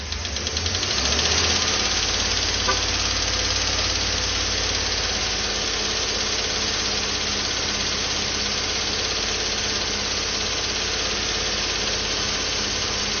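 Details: 2012 Chevrolet Tahoe petrol engine at idle: steady quick lifter tapping, about three per second, that fades as revs are held up, pointing to low oil pressure from a weak oil pump.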